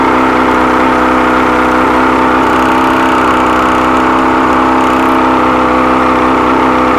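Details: 100 hp outboard, carbs rebuilt elsewhere, never ran right since; compression and spark good on all cylinders: high-revving, unsteady buzzy run that never settles to idle; found stripped carb screw threads, missing lock washer, old gaskets.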